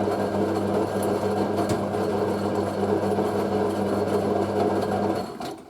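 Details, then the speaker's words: April 1986 Hotpoint 9530A Electronic 1000 Plus washing machine during final wash spin: steady motor hum with a coarse gritty edge, then winding down; motor sounds rough, owner will investigate why, cause unconfirmed. "I'm gonna have to look at why the vote is sounding that is so rough"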